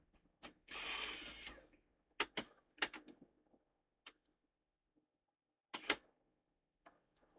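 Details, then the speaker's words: Sony DTC-750 DAT recorder, top off during repair after corrosion was found inside: a brief motor whirr as an unknown DAT tape is drawn in, then crisp mechanism clicks as it threads and reads the tape; loading normally. "And it's come up. It's red. Some tape. Ooh. Read something off the tape."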